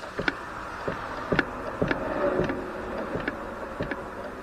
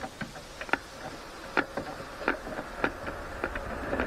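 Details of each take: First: Motorcycle carburetors after adjusting throttle cable adjuster barrels: each throttle snap closes with one crisp clack instead of a double clack, over passing traffic; slides now close in sync. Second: Motorcycle twin carburettors during synchronization, throttle cables set to different lengths: each throttle snap gives a split double clack as one slide bottoms before the other; adjusting the cable barrels brings them to a single clack.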